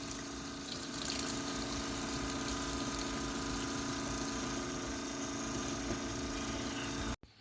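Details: Holley Red electric fuel pump being used to siphon and drain the fuel tank before swapping to a mechanical pump, after earlier pump trouble: steady droning hum with fluid gurgle that cuts off abruptly; the pump was failing intermittently.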